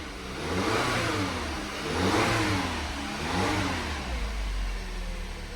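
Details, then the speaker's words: 2009 VW Tiguan TSI after repair of an engine that sounded like it was eating itself, timing chains suspected: engine revs up and down smoothly through several blips with a clean turbo whoosh and no knocks or rattles; healthy after repair. "You're running now, baby. She makes turbo noises."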